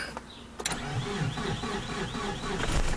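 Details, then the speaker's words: Mitsubishi Galant VR4: slow, uneven cranking at about four beats a second before catching; battery only 10.5 V (11.1 V on accessory) because the alternator is not charging, causing hard start. "a little trouble starting as you can see here it's it's only at ten point five volts now so it's less voltage and why is because the alternator is not functioning properly"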